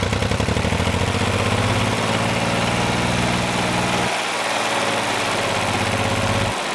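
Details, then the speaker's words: 1988 John Deere 950 diesel tractor after a fuel filter change and bleeding: chugs unevenly after starting with a lumpy, faltering beat that drops out partway; owner suspects residual air in the fuel. "okay i suspect there's probably still a small amount of air in there that hopefully will work its way out"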